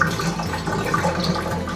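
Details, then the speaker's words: Bathtub drain after clearing slow drain, about 4 inches of lukewarm water released: steady rushing gurgle pouring down and out through the overflow, no sputtering; normal free-flowing drain. "and if you can hear water coming out of the overflow like we can now, then that's a good sign."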